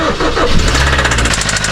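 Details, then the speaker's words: Kia engine right after starting, failed after being sold months earlier: quick regular knocking about twelve raps a second over the idle; severe engine knock, cause unknown. "that, my friend, is a knocking engine. Look how bad that sounds."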